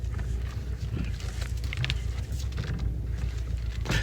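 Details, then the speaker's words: 2018 Subaru WRX STI Spec R idling while the steering wheel is turned: loose irregular knocks and rattles over a deep idle rumble, steering rack rattle coming from down low. "rack rattles gonna sound more like that rack rattles gonna come from down there"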